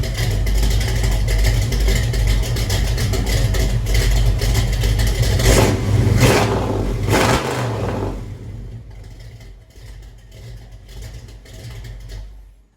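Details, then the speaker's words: Chevelle V8 with true dual exhaust and no crossover pipe: a deep rumble climbs with a harsh, raspy crackle as it revs, then settles to a lumpy idle. The owner suspects the missing crossover; it may still be too loud for registration. "Has a bit of that sound that I do not like. As I said, I can't really find a word for it in English, but the thing is, on this thing we have true dual exhaust with no crossover at all"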